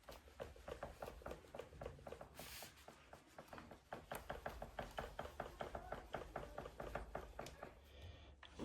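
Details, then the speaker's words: Transition Spire Carbon GX mountain bike, frame loaded by hand with the fork strapped and the seat unloaded: sharp, fairly regular knocks about four a second, a dull clunk isolated to the rear shock or lower rear shock linkage; pivots torqued to spec, cause unclear. "And this is what you listen to when you're going down the trail. Small bumps, anything chattery. This is what you hear, right? So again, like I'm loading the frame."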